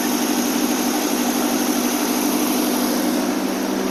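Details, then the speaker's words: 1960 AMC Rambler 287 V8 with rebuilt carburetor, warm, after intake and exhaust leaks repaired: smooth, steady idle with even exhaust note and no puffing or ticking from the manifolds; normal idle. "that already sounds pretty good"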